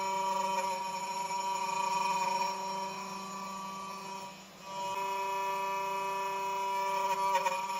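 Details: Genmitsu 3030 PROVer Max desktop CNC, stock 300W spindle pocketing 20 mm square and circle in aluminium, 2.5 mm deep, 0.3175 mm step-down: steady ringing tone with overtones, briefly easing mid-pass; spindle chatter, rough edges, square measured 20.7 mm.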